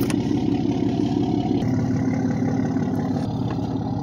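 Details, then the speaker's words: 1976 Chevy LUV 4x4 engine, sat a while, run after priming the fuel pump: an uneven, lumpy idle with an irregular pulsing beat about three per second; rough running on two cylinders with no compression, engine clapped out. "its engine's pretty much clapped out has no compression on two cylinders it'll run but it's been sitting here a while"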